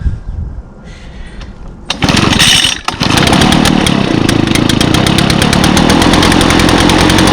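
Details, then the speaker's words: 2014 Echo PB-500T backpack blower, 50.8 cc two-stroke, built August 2014 and used last week, started on choke with primes. After a couple of pulls it catches and settles into a crisp, steady buzz that holds even; it runs healthy. "pretty much everything is running great with the exception of those three trimmers over there but everything else is working just fine"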